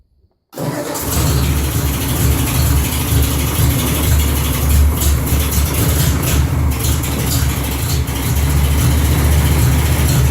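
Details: 1955 Ford 860 tractor after replacing the battery box, cables, hold-down, governor compensating spring and throttle bellcrank parts: silence, then it starts at once into a steady, even chugging idle, no misses or knocks; normal start and idle.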